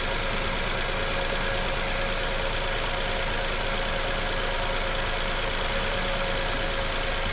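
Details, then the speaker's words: Nissan Almera petrol engine with the plug connector pulled off one cylinder during a coil check at idle: uneven loping low thump about three times a second and idle drops, one cylinder not firing; coil later replaced. "ถอดพักออกชนกสั่นแบบนี้ครับนี่ครับเครื่องจะตั่นึๆๆๆๆแบบนี้"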